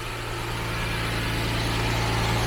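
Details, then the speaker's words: 1991 Jaguar XJS V12 convertible, just restarted after repairs (earlier it would not rev once warm): smooth, even low hum with steady firing, no knocks or misses; idles cleanly, though it needs a few good runs and maybe new spark plugs. "definitely just really really needs a couple of good runs and maybe a new set of spark"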